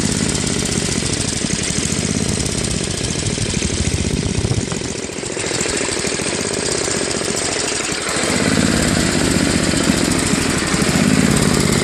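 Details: Tecumseh Snow King 5.5 hp 195 cc snowblower engine, carb cleaned after a year of storage, leaking back gasket; low idle rises and falls every few seconds, hunting, fixed by adjusting the idle screw at high and low throttle.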